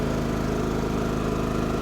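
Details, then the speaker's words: Firman WH3200iE dual-fuel generator running on propane, just switched to eco mode: low, even hum at a noticeably reduced, steady speed with no knocks, surging or hunting; normal eco-mode idle. "one last thought i just did put in eco mode so with a little luck between the cut you'll see how drastically the sound went down"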